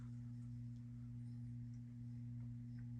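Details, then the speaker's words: 52-inch Harbor Breeze Caratuk River ceiling fan on high speed: loud steady low hum with a faint higher ringing over it, not from the globe, probably from the motor. "it does put out really loud humming V humming sound humming voice humming sound and also um there's like a ringing sound I don't know if you can hear it it's not from the globe so it's probably from the motor"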